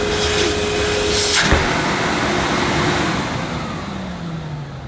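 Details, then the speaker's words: 1998 Hoover Alpina Filtra vacuum with electronic speed control, just switched on: a steady, even motor roar with a high airy hiss and no knocks or rattles; runs normally but is far from quiet. "yes that sounds like an Alpena should sound as who've advertised the machines the power of Silence can you believe not very Silent not really very quiet"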